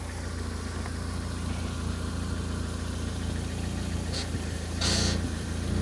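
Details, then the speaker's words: Ford Focus ST170 at idle: a brief high squeak as the steering is turned to full lock, heard as a pump noise. A power steering squeal is suspected but not confirmed. "So you hear that pump noise, like a pump noise when I put it on a full lock."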